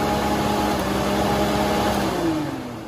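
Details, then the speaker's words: VW Mk1 Cabriolet cooling fan with coolant fan switch connector jumpered to test, after car ran hot with fan not running; steady whirring hum, even pitch winding down slightly at end; normal electric cooling fan operation at high speed. "so when i jump to two ends you heard the fan turn on and it was running at a higher high speed"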